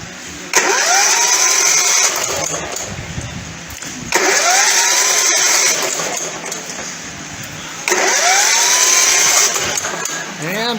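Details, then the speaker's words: Engine that won't start, cranked with the spark plug in: three bursts of fast, even, light whir with no compression chuffs, spinning far too freely; compression test confirms a broken connecting rod, engine toast. "so the fact that it's spinning so freely doesn't sound good"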